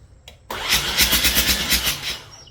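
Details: 1989 Mazda RX-7 Turbo II rebuilt engine turned over for the first time, oil filled, spark present, no fuel added yet: starter spins it about four times a second in an even rhythm without firing; normal cranking, no start.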